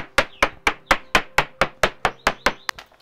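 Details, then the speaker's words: Hull tap test on a 43-year-old 28ft Maxi 84 sailing yacht with low moisture-meter readings: sharp, ringing taps about four per second, each crisp and quickly decaying with no dull thuds; sound laminate, crisp tap response. "when i do a tap testing and that's really the most important bit to me you can hear the hull is actually still nice and crisp"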